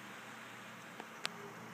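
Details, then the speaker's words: New Dynatron CPU cooler with a ball bearing fan, replacing a cheap cooler whose fan whined, PC just switched on: soft, steady airy hum with no whine, rattle or ticking beyond one faint click; fan runs quiet and healthy. "and even when it gets loud it's not ridiculously well it's not ridiculous it's pretty good actually not bad at all"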